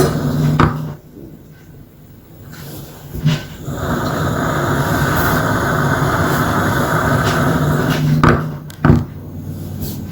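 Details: Gas light lamp with a steady gas hiss broken by a few sharp irregular pops, about four in ten seconds; popping noise, cause unknown.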